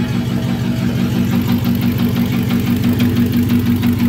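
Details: Truck engine, warm, revved hard in park: steady knock about three beats a second, absent in drive and reverse; torque converter bolts checked tight, bottom-end knock, possibly a rod, suspected.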